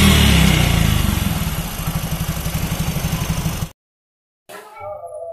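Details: Yamaha Mio Soul GT scooter after replacing broken injector seal; it and a cracked ISC sensor air hose caused weak power, poor idle and stalling: revs and settles into a steady, even beat with no misfire, music behind; normal.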